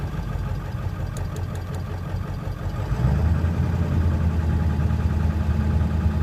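Low, uneven idle with a lumpy, irregular pulse at about four beats a second that firms up midway; the engine is idling roughly.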